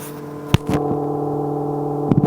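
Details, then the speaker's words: Range Rover L322 TDV8, engine and ignition off, mic against the central console housing: steady hum between two handling knocks as a fan keeps running; a faulty heater blower resistor is suspected. "hopefully you can hear the engine's off, the ignition's off, but we've got a fan or something still going, and we think that is probably the resistor for the heater."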